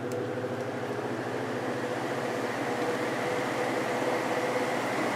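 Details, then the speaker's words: Vintage GE window fan after fixing its loud cyclic hum with clear Gorilla Glue, 24 hours cured, running on high with a soft even whoosh and faint hum, no cyclic throb; normal operation. "yeah that is a huge Improvement run on medium"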